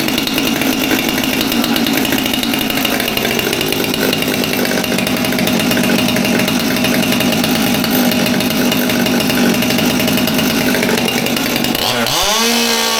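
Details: Stihl MS200T top-handle chainsaw that previously idled but would not rev up, started on choke after replacing the fuel line: holds a steady high buzz at full revs with no surging or stutter, drops away cleanly; normal running.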